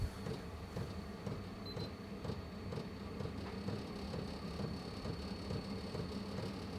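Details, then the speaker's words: 8 kW portable diesel heater at its top pump rate (about 5.4), near 78–80 °C outlet, around 0.24 L/h: crisp pump ticks about twice a second over even fan rush; normal fuel pump ticking at maximum rate. "but we can also put up to the very top rate which is is it 5.4 that's us i hear the"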